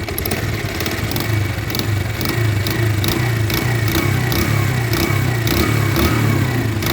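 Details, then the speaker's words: Bajaj Pulsar 150 running with a leaking head gasket between head and block, oil on the head and smoke escaping; rough, uneven running with a rhythmic puffing chuff under a ticking top end as compression escapes: head gasket leak. "तो जैसे कि आपने इसकी आवाज भी सुनी जो उसका हेड का पैकिंग जो है हेड का पैकिंग लीक हो रहा है और उसकी वजह से इस बाइक का जो है कंप्रेसर लीक हो रहा है गाइस।"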